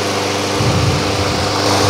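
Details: Craftsman lawn mower after fixing heavy vibration: small engine holding a steady, even buzz at speed, no shaking or knocking, running smooth and cutting well.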